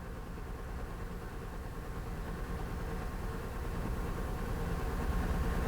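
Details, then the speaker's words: 2005 Honda Odyssey at low idle with an uneven, stumbling beat, one pulse dropping out regularly; scan tool misfire data confirms cylinder 3 misfiring. "okay so what does it say here cylinder number three yes so three is misfiring okay cylinder 3 is misfiring"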